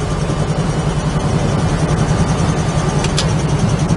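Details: 1968 Chevrolet Camaro V8 with small-diameter long-tube headers, at idle: deep, steady burble with an even lope and no knocks or misses; healthy, tight idle.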